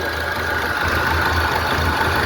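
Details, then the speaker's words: 2009 Ford Ranger 3.0 diesel at idle, misfiring badly and shaking with an uneven, lumpy low pulse; unplugging one sensor connector stops the misfire; cause not yet confirmed, scanner diagnosis pending. "Então, pessoal, olha, eh, o carro aqui tá com o motor falhando, né, a Ford Ranger e o cliente queria que eu tirasse o os bicos injetor desse carro, só que aí é conversando com ele, ele desistiu de tirar os bicos e pediu que eu fizesse um diagnóstico."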